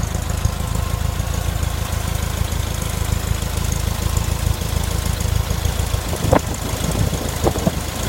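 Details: VW Type 4 engine at warm idle: random, uneven knocking that only appears when warm and disappears above idle, caused by a worn cam thrust bearing and solved by replacing it.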